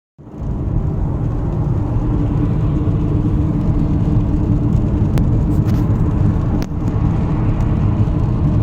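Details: Car driving on the road: a steady low humming drone from the engine/front, under road rumble, at constant pitch. It is audible from 15 km/h and clearest around 80 km/h; the exact source has not been located.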